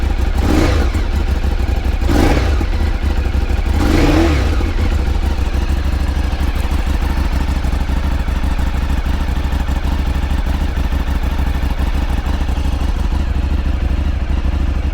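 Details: 2009 Ducati 848 just after battery replacement (it wouldn't start after sitting about a month and a half): engine catches with a few throttle blips, then a strong, even, deep idle until shut off; normal start and idle.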